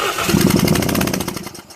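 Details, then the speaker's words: 2001 Toyota Yaris 1.3 petrol, start-then-stall fault P1310 with tampered ECU plug wiring: rapid even starter chatter that never catches; spark present with ignition on but lost while cranking, later traced to ECU wiring. "now it doesn't have you seen there's no spark in there at all so you have a spark when you turn the ignition on but see but then when you start the engine"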